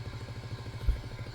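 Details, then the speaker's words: Audio amplifier with an intermittent fault, previously repaired: low, rapidly pulsing purr, about ten throbs a second, on one channel whose lights go out and signal light sticks on, alongside a noisy fan. "yes he has a noisy fan but can you hear that kind of like puring noise on one"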